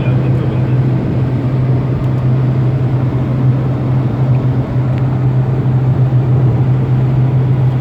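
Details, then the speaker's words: 2019 Proton Persona sedan cruising at about 140 km/h, in-cabin: constant low droning hum at steady high speed; suspected the sedan body shape resonates and amplifies road sound, cause not confirmed. "we are cruising now at about 140 it's clear and it's not too bad but there's still that humming sound there's still that humming sound coming from the car you hear it now"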